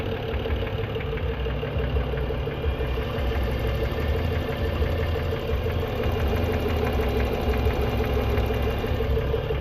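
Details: 2011 BMW E90 335xi on cold start: light regular ticking over the low idle rumble, gone once the engine is warm; cold start ticking.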